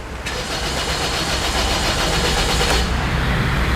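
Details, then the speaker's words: Car cranks strongly and evenly, about three to four beats a second, dash lights all on, but never starts: out of fuel; refuelling fixes it. "มีเสียงนั่นดีนะครับแต่สตาร์ทไม่ติดแล้วก็หน้าปัดมีไฟขึ้นครบหมดของมาดูที่หน้าปั่นนะครับ"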